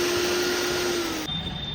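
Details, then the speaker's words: Preethi Lavender mixer motor after bush replacement and papering both ends of the shaft: steady, even hum with clean high whine, no rattle or wobble, then cuts off. Worn bush had caused vibration and noise; carbons also affect motor sound. Now runs smoothly. "Sound ఎంత change అయింది. Carbons వల్ల కూడా motor యొక్క sound అనేది ఈ విధంగా change కావడం జరుగుతుంది. మిక్స్ అనేది చాలా స్మూత్గా అయితే సౌండ్ రావడం జరుగుతుంది మనకు."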